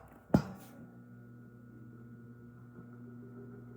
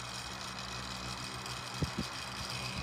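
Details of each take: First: Vintage 1980s Tatung 12-inch three-speed oscillating table fan after cleaning, oiling and motor service, on low speed at 121.7 V 60 Hz drawing 0.335 A: soft, even low hum with no squeal or rattle; healthy. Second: 1980s Tatung 12-inch 3-speed oscillating table fan on high speed (about 51.5 W, 0.45 A): steady motor hum and airy rush with irregular light rattles from a loose front badge.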